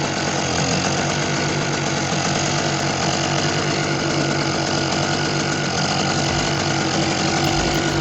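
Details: Small Target generator that refused to start, now started by pouring a little fuel into the carburetor opening with the choke left open; steady, even single-cylinder drone without misses or surging, running healthy.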